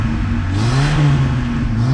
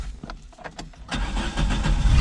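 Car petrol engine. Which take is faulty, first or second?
first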